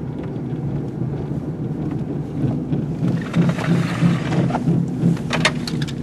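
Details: 1998 Buick LeSabre driving: low droning rumble pulsing in slow wah-wah rhythm, faster and higher hum with speed; worn right front wheel bearing.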